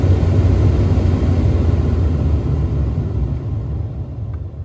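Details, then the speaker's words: 2013 Ford F-150 after replacement of the noisy blower motor with a new aftermarket unit, running at full speed: smooth, low, steady air rush with no squeal, rattle or ticking. "Oh, beautiful. That sounds like heaven compared to what I used to listen to. That's full speed."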